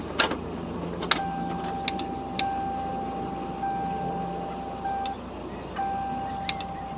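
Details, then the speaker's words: 1990 Toyota Celica GTS, first start attempt after sitting eight years: turning the key gives only light, sharp clicks about once a second over the key-on chime, with no cranking; no start, no crank, cause not yet confirmed. "all right so as you just heard there the only sounds that are coming from this car when i turn the key over is a very distinct but light click click click click click click"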